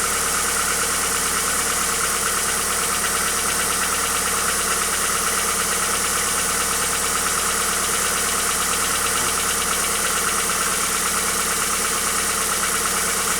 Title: Стук двигателя хюндай акцент ч1